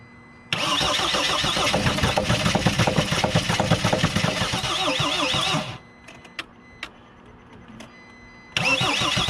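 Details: Mercedes Sprinter diesel with a new fuel tank and fuel pump, return line leaking diesel: the starter churns steadily at about four beats a second for five seconds with no firing. The fuel pump electrical connector was later found disconnected.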